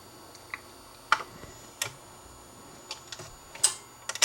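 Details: Dual 1219 turntable after fixing a slightly bent part that stopped the motor shutting off, cycling as a record finishes and for a 10-inch 78: light, scattered clicks and taps at uneven intervals; the mechanism cycles normally.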